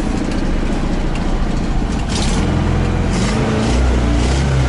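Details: ZAZ 968M after standing, fuel pump repaired and carburetor adjusted: deep, even rumble settling into a smooth idle with no misfires, knocks or hunting. Normal idle.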